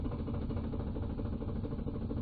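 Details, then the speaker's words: Ford 3V V8 (4.6L/5.4L), warm, driving: uneven lumpy pulse and stumbling beat as bank 1 cam timing sticks out of position, then clears as the VCT solenoid unsticks; sticking VCT solenoid (P0011/P0012). "Real bad, and it's stuck there right now. And it just cleared up because the solenoid became unstuck."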